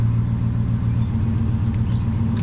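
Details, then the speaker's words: Lexus 1UZFE V8 swapped into a Jeep KJ, in park then neutral: deep steady rumble held low and flat, won't rev; sounds much better in drive, and a gearbox issue with the prop shaft not spinning is suspected. "okay so this is the park you guys can hear it won't ref up so let's put it it's now a neutral"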